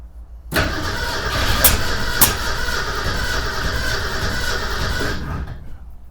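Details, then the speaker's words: 1961 Ford Econoline van sitting over 30 years, jumper wire to ignition, fuel poured into carburetor: engine catches and runs roughly about five seconds then dies; fires on priming fuel but won't keep running. "And a little gas in the carb. Give it a little drink. Let's just see if we can hear it fire off. Well, she fired off."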